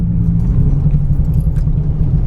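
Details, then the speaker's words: Nissan 350Z idling: low, lumpy rumble with an uneven stumbling pulse, like running on half its cylinders; random misfire persists, owner wonders if injector or spark plug, not confirmed. "okay so listen it seems okay do you see that do you hear that do you feel that sounds like it's running on like half of what it should be running on"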